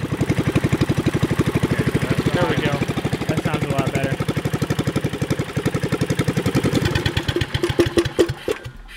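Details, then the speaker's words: Subaru Robin 9hp single-cylinder on a Yerf Dog go-kart, new 26mm Mikuni carburetor, needle clip at midway: pops unevenly and stumbles when revved instead of picking up cleanly, running lean, before moving clip down for more fuel; lean running sputter. "yeah so it's spinning and sputtering acting like it's a lean"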